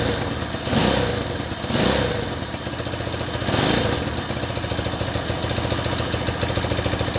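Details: 1964 Honda CA95 Benly 150 twin at its first start after a 30-year sit, started on the electric start after a new throttle cable and a flushed tank: a few throttle blips, then a quick, even patter at a steady idle without stumbling. Normal idle.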